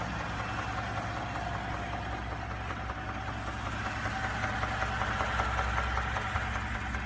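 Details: 2017 Ford F150 EcoBoost: steady idle with a regular knock, about two to three per second, clear over the engine note; starts within a few minutes of a cold start and within a minute of a warm start; cause unknown.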